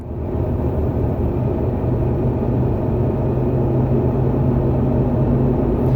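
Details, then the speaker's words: 1987 Fleetwood Bounder 31ft Class A motorhome, sat two years with gas drained, cold start at about 40 degrees after a night in the 20s: big V8 catches and settles into a deep steady rumble, no knocks or misses, normal cold idle. "they mention it's 40 degrees here right now and it was in the 20s last night so this thing is cold"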